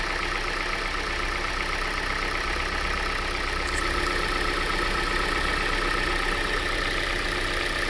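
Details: Quick, fairly regular light ticking about four per second over a steady idle on an I40 engine; owner suspects valve tap, cause unconfirmed.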